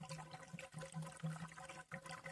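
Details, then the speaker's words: Peugeot 807 after thermostat replacement, at idle with no coolant, cap open, car had been running hot; steady watery bubbling and gurgling; lots of air in the cooling system, needs warming until thermostat opens and topping up. "Jag har ju ingen kylarvätska alls. Hör ni hur det glubbar? Bubblar, gurglar. Hel del luftsystemet."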